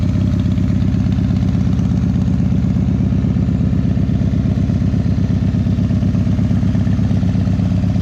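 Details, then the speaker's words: 2001 Indian Scout, 7k miles, cold start at about 50°F: loping idle beating steadily near 170 per minute with puffy pops from an air leak at the front exhaust pipe; exhaust leak popping. "There's an air leak, so you'll hear some popping, but don't freak out about it."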